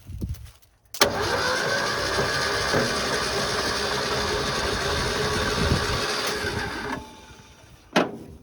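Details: Long-neglected 1972 Ford F100 Custom, engine previously seized, battery wired straight to starter without solenoid, mystery oil in cylinders: steady whirring crank about three beats a second, spins freely without firing; almost no oil blew out.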